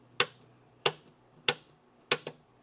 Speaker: That's all you want to hear. That that latching system hitting the striker.